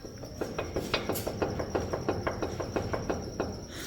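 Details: Chevrolet Colorado ball joint worked by hand: rapid, rhythmic dry creaking clicks about three per second; a damaged, worn ball joint.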